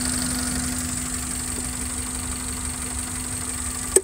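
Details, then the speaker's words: Suzuki APV petrol engine after Blackcore tuning (carbon cleaning by blue fluid sprayed into the intake manifold at 2000 rpm): quiet, even idle at 700–800 rpm with faint steady hum and light injector tick, no knocking; normal idle. "Pak suara mesinnya lenyap ini sekarang rpm-nya normal rpm-nya di 800 700 800 yang luar biasa tuh suara mesinnya"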